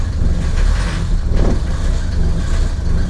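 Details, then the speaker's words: Mercedes W115 /8 220D diesel with Bosch inline injection pump, just after O-ring replacement to fix a pump leak; cold start after glow plugs. Heavy clattery idle rising and falling, "sawing" uneven idle that stabilized after about 20–30 seconds. "may hear the car is what I would call sawing a bit. But this sawing, this unregular idling, will be gone in a second."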